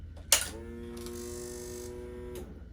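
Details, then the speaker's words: 2016 Honda CBR300R, 1133 miles, parked seven years with near-empty tank, new battery fitted: click at key-on then steady buzzing whine about two seconds, cutting off cleanly; fuel pump priming normally. "that's a good sign."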